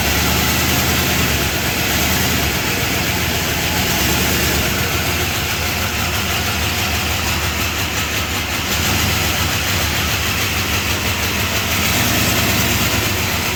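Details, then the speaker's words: 1978 Chrysler Newport V8 after a fuel pump replacement and long storage, now hooked back to its tank: V8 idles unevenly with fast, light lifter ticking; it dies when put in gear, the chatter is blamed on old junky oil, and it needs a tune-up. "It sounds good other than that chatter. Dies when you put it in gear. Well, it's not idling real well."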